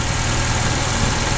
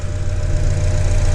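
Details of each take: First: 2004 Honda Accord 2.4 L petrol, no fault codes, before repair: rough uneven idle with a stumbling beat dropping a pulse every few turns; single-cylinder misfire, no spark on one cylinder, later confirmed a shorted ignition coil. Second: 2004 Honda Accord 2.4 L petrol after replacing a shorted ignition coil and fitting four new spark plugs: smooth, deep, steady idle with an even beat and no stumbles; normal idle, misfire fixed.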